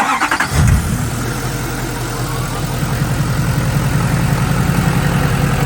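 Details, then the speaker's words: Duramax diesel truck after engine rebuild with head gaskets replaced, 5-inch exhaust. Starter turns briefly, engine catches and settles into a smooth, even diesel idle without knocks or misses: normal start and idle after repair. "He's got a whole bunch of work done to this engine, and man, does this thing sound good. Sounds great, runs great."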